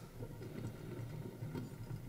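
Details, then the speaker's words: Bad wheel bearing removed from a previous car's hub, turned slowly by hand: rough gritty clicking rumble because the inner casings have come apart; wheel bearing grinding. "on the inside of this one the casings come apart on the inside of the wheel bearing and it's producing a nasty grinding noise"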